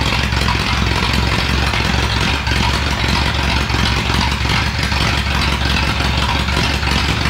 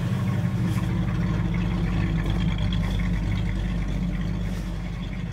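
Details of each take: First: 1937 Ford flathead V8 that sat a year, 6-volt system running only on the battery (maybe 5 volts): lumpy low idle with an uneven beat and dropped pulses, a misfire; weak ignition from low voltage is suspected. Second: Car with a 400 small block V8, roller cam and roller lifters, about 10:1 compression, described as super cold-blooded: deep, steady idle with an even lope and no knocks or misses, a healthy normal idle.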